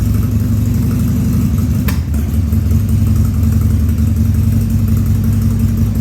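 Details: 2000 Harley-Davidson 1200 Sportster V-twin on its first start after a carb rebuild and leak fixes, air cleaner off: a loping idle with one sharp cough near two seconds, a stumble from running slightly lean.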